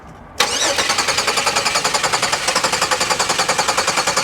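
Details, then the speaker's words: 2019 Audi Q7 at salvage auction; starter spins engine fast and evenly at about three and a half beats a second but it never fires: crank no start; possibly fuel pump or bad ground. "Well, she cranks. Yeah, I'm gonna say she doesn't start."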